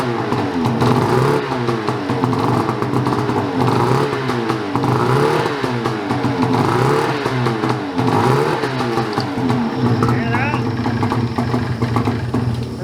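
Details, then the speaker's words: Ski-Doo 850 turbo-modded snowmobile at minus 25: engine only lives on repeated throttle blips, revs surging and sagging unevenly, then dies; owner suspects a reed, compression check planned as it might be a piston. "sounds like great so i think it's a read we got to do compression check though it might be a piston"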